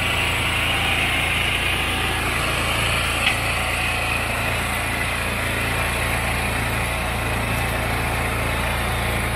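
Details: Powerstroke generator being repaired for no power output: small single-cylinder engine running steady and even after starting, no misfire or hunting; runs healthy.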